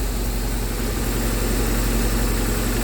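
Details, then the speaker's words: 2009 BMW R1200R boxer twin just started after fuel pump replacement: steady even low burble at idle, no whistle, tick or knock; running cleanly. "let's see how things go and yeah let's start it up all right test let's see and the bike starts no whistling no noise"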